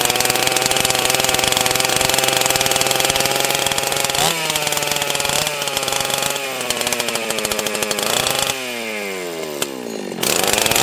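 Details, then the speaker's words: Husqvarna 281/288 chainsaw during revival: screams at steady high speed, then drops as the throttle eases; the half-throttle latch is sticking and needs adjustment, with parts to be ordered. "the half throttle is sticking. I can adjust that, but yeah, I'm gonna have to order some parts to get this all 100% here."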